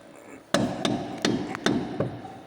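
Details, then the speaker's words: Mercedes Sprinter "Dolphin" van with a left-side knock missed by other shops: five sharp, hard clunks at uneven intervals as the suspension is levered; the ball joint itself isn't loose but has worked loose in the control arm seat and knocks. "стучит от души сама шаровая не болтается врубилась рычаги так что делайте вывод проблему надо искать могу даже глубже чем оно есть"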